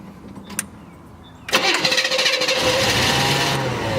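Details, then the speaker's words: 1970 Chevelle SS, 74,426 miles, original 396 big-block rebuilt (360 hp), rebuilt Turbo 400, chambered exhaust with no mufflers: brief crank, then a loud, even, lopey idle; healthy start and idle. "It has chambered exhaust. I didn't put mufflers on it. I went with the chamber."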